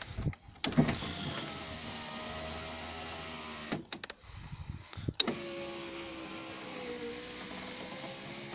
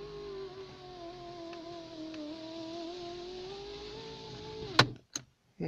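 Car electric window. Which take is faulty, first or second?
second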